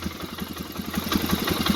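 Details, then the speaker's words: Polaris Sportsman 500 HO ATV with crank-no-start, fixed by crimping a faulty ignition wire connector: quick, even putter catching and settling into a steady idle; fired right up and charges battery. "FIRED RIGHT UP. THERE, IMAGINE THAT when you get a proper IGNITION SYSTEM."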